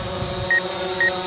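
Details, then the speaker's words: DJI Phantom 4 Pro drone on first flight: short high beeps about twice a second over the steady rotor whir. The rear obstacle sensors sound a collision warning, triggered at roughly 12 ft. "yep those are the rear sensors so you hear that beeping that's it uh saying hey I'm going to hit something"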